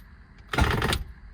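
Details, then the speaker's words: Lotus Elan on its first crank after a fourth clutch job (new gearbox input shaft seal, resealed sump): one harsh half-second grind with no catch; owner suspects the starter motor, cause unconfirmed. "Right, that's not good. That feels like the starter motor. Haven't heard that noise before. What could it be?"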